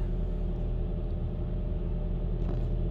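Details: 2004 Toyota Camry with about 198,000 miles, started after a misfire fix: low, steady idle rumble with an even beat and no stumble or skip; engine runs smoothly.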